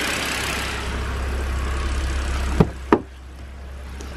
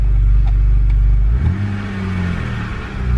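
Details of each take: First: BMW N52 engine, previously rough idle with jumping revs: after a couple of sharp clicks, quiet, even idle with steady low hum, no stumbles; sounds perfect. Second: BMW N52 engine, warm, after a throttle blip: deep idle rumble climbs and wavers with no throttle input, revs hunting; later traced to faulty mass airflow sensor.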